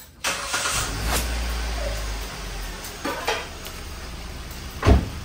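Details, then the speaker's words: Car engine started after an oil change, the first in about a year and a month. It fires after a brief crank and settles into a soft, even idle with no knocks or ticks; it sounds healthy. "Ayan o, narinig nyo mga kabrad, ang ganda ng tunog oh. Ang ganda ng tunog ano."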